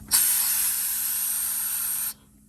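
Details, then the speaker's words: Peterbilt truck air brake system: steady sharp hiss for about two seconds then cuts off; air leak first suspected at check valve or manifold, found at a quick-connect fitting on a rear air tank needing replacement. "We got a little leak back here, guys. It might be a check valve. It might be that same manifold I just fixed on my truck."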